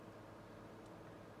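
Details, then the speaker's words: Modern fan running on low (speed one) after starting on high: a soft, even airflow hush with a faint low hum and no ticks or rattles; a quiet, gentle breeze, far less than medium. "I'll get that it's quiet it's got a quiet speed one your M of airfow output it's it's a gentle breeze it's nothing impressive really"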